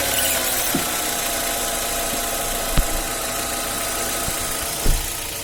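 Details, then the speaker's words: 2010 Hyundai Elantra that had a whistle near the clutch with the engine running. After lubricating and refitting the clutch fork area it idles quietly with only a few light clicks and no whistle; fixed. "как мы сами слышал хотят работать двигатель никаких посторонних звуков свист и больше нет"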